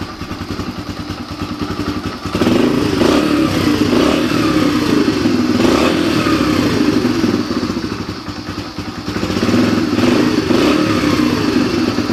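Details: Yamaha TTR125 single-cylinder, after carburetor cleaning and new fuel hose, kickstarted: fires up and runs evenly, revs rising and settling cleanly with throttle blips; no misfire or stumble.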